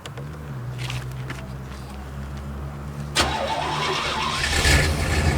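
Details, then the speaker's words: 22' Lazy Daze motorhome engine after new muffler and tail pipe fixing exhaust leak, warming until temperature gauge rises: steady even idle, clean exhaust note, no ticking or puffing leaks; WD-40 smoke off manifolds expected. "Yeah, let it run long enough the temperature gauge starts to come up a little bit anyhow. That'd probably be warm enough."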